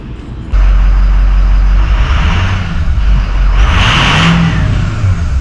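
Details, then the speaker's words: 2006 Ford 6.0L diesel pickup after replacing oil-leaking injection pressure stems and dummy plugs on both manifolds with upgraded seals: diesel clatter settles into a steady, even run after starting, no misses or stumbling; running well before highway test drive. "sounds like it's running well we're going to let it run here for a little bit before I take it out make sure she's running nice and strong"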